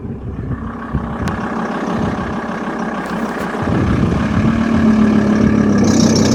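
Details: VW T4 2.5 TDI ACV diesel, stationary with handbrake on, clutch slowly released in a higher gear: engine runs, then a steady chirping tone rises as the clutch takes up load.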